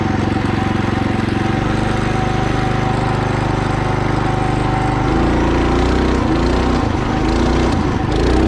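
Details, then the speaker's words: Mini bike small single-cylinder after upgrade to a torque converter belt drive, climbing a hill slowly: steady chugging pull, pitch lifting as throttle is added, belt heard but no clutch ding; converter drive working normally. "from that idol you can already hear that you don't hear a ding from the clutch you only hear the belt but it is a slightly louder because you have to you have to like give it more throttle"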